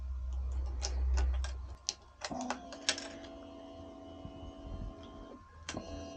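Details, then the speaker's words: Yamaha YZF R125 motorcycle being rebuilt after crash damage, ignition switched on: a few clicks, then a steady low hum for about three seconds as the fuel pump primes normally. "now it's good at least we can hear the fuel pump working so we can just Prime the lines a bit by turning the ignition on a couple of times"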